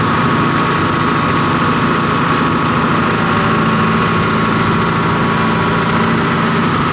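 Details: John Deere 245G excavator diesel, cold start after valve cover refit and repair of suspect smoking number 3 injector (black smoke under load); steady deep drone at constant speed, no misses or knocks, smooth healthy idle.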